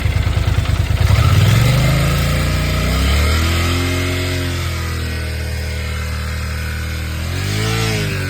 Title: Yamaha TDM 900 Motorgeräusche normal oder Steuerkette Engine Sound